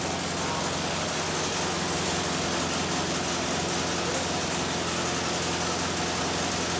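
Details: Modified Pontiac Fiero 2.5 Iron Duke, now about 3.0 L (186 ci), naturally aspirated, custom cam, 500 cfm 2-barrel, stock 92 hp; on dyno, loud steady even roar with no knocks or rattles; healthy.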